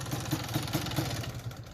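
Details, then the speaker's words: Suzuki LT250R two-stroke ATV on a 260 main jet, later swapped to a 280: uneven note with stumbles and gaps, breaking up badly under throttle with a weird noise; still breaking up after the jet change. "yeah so uh I don't have you here in the video but it's kind of breaking up pretty bad so we got to see what's going on also it's making a little bit of a weird noise"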